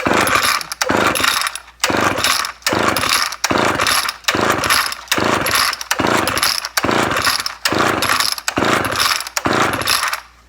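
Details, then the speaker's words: Old Homelite XL12 chainsaw bought used, chain tightened, choke out and throttle locked full: about ten rough pulls roughly a second apart, the engine coughs on each but never settles into a steady run; hard starting. "Well, he said it starts, but it doesn't start very well."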